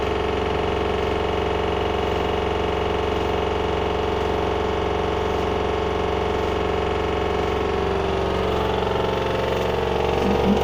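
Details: LG washer dryer combo bought November 2021, on a 1400 spin: a fast jackhammer-like pounding at about four beats a second, growing slightly rougher. The machine is level, not jumping, nothing external touching and no drum bearing play. Loud pounding, source unidentified.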